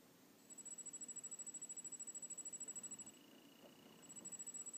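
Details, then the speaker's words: E-Flite 60A brushless ESC: only a faint, thin high whine pulsing quickly on throttle with no motor spin; the motor works with another controller and the arming beeps are very quiet, so the speed controller has failed. "I don't know if you can hear that high-pitched but um but that's it not getting any motion"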